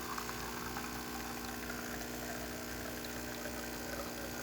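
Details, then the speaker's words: Older-style DeLonghi Magnifica after full service (customer had replaced flow meter, generator, water pump), brewing a single espresso: steady, even pump drone with smooth hum pushing water through the coffee; normal pump operation. "It's going to tamp itself against the McKenna valve, and then the McKenna valve is going to shoot water through. There it goes."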